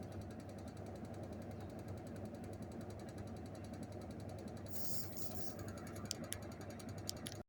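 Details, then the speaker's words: LG 14 kg top-load washer, 5 years old, dead with a DE error, fixed by sticking a strong magnet at the lid by the handle: a steady, even churning rumble with no knocks, scraping or squeals; it now washes and spins normally. "นี่ครับเครื่องทำงานปกติแล้วครับปั่นหมัดตอนแรกเครื่องไม่ทำงานเลยนะครับ"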